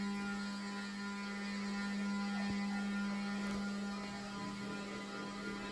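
A loud, steady low hum at one fixed pitch with no wobble or knocking; the fan motor is humming noisily.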